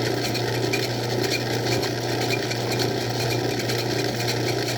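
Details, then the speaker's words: Old Craftsman 109 lathe, drilling/boring toward the tailstock: steady motor hum with rhythmic ratcheting chatter about twice a second in the cut; operator suspects tool chatter, unconfirmed. "Oh, I hear something. Sounds like a cha-cha. That might be chatter. I've heard about that stuff."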